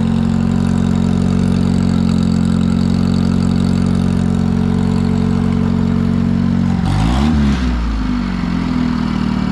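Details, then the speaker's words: Satoh S-550G tractor, 4-cylinder gas engine, long forgotten, revived with a homemade leather accelerator pump, in 100-degree heat: runs steady and even, picks up briefly around seven seconds, then shuts off cleanly; normal running. "The old girl's fired back up, she's running, and you gotta remember that the old man made that accelerator."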